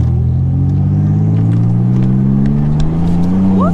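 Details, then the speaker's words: Turbo Nissan Z31, formerly catless straight pipe, now with homemade 2.5-inch single-muffler catback, heard while driving: deep steady exhaust drone rising gently under acceleration, smooth with no rasp or rattle; normal exhaust note. "getting the sound out of the back and just through that one Muffler made a huge difference yeah I really did it has honestly totally transformed the car listen to this"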